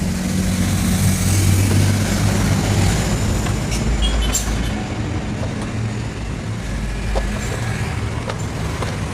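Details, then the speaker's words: Yamaha Mio Soul carburetor scooter sent in for lost ignition spark, now starting: engine catches and settles into even, smooth low idle with steady beat, no misses or knocks, though still smoking. Normal idle. "Kalau untuk mesin di sini langsung hidup, ya. Tuh, dan ee suaranya enak juga ya. Untuk suaranya halus juga."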